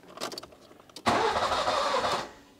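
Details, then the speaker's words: Nissan Micra K11 with a crank-no-start fault, flooded with fuel. The fuel pump fuse is refitted and the pump is audible, then about a second of cranking never catches. Flooding has fouled the spark plugs. "I can hear the fuel pump. Nah. Come on. It is so close to catching."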